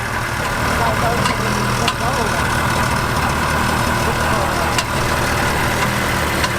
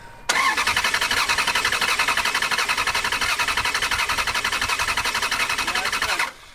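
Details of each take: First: Ferrari abandoned about six to seven years and not started since, first run on likely old, foul-smelling gas: uneven idle with scattered sharp pops and ticks, "sounds like popcorn"; rough idle with misfiring pops, cause unconfirmed. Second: Ferrari abandoned for years in a foreclosed house that won't start, cranked with fuel pump relays out for a compression test: steady even cranking about 86 pulses a minute; readings 180 to 210, judged fine, normal even compression.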